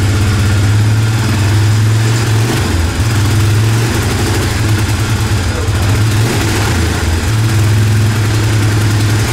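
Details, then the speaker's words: 2005–2006 Suzuki Eiger 400 ATV, right after a carburetor rebuild and started on choke: a steady, even single-cylinder idle with clean dips and recoveries and no misses or knocks. Good throttle response; it runs well now. "good throttle response it's running great now"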